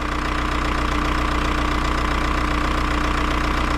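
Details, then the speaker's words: VW Jetta TDI diesel, bought non-running with no compression and now restarted, idling: uneven lumpy pulse about 2.5 per second; air bubbles seen in the fuel lines make it act up, rough idle from air in fuel. "Yeah, it's uh acting up because of the air bubbles."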